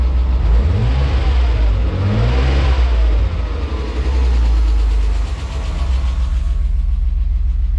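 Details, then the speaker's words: BMW E34 Touring with an M50B20TU engine that sat dry about two years, first run after an oil pan change: blipping the throttle brings a light, uneven ticking that follows the revs, plus slight knocking; cause unknown. "if I gave it a little bit cash it's make really weird sounds you hear that ticking sound"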